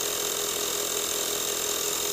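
Steady, even hiss and buzzing whir with no surging, knocking or pitch drop; the little compressor is pumping normally under load.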